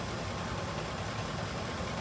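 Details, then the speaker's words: Truck at steady, even idle with a smooth rumble and no knocking, after repair; lean knock gone, short-term fuel trims improved. "Okay, truck's back. It's running. No more lean knock in it."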